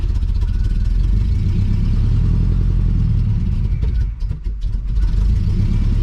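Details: 1980 Chevrolet Cutlass scrapyard car, cranked after letting it settle: heavy uneven chug catches briefly, stumbles, dies; fuel pump suspected not priming, or bad old gas in lines and tank, or spark knock from brake clean.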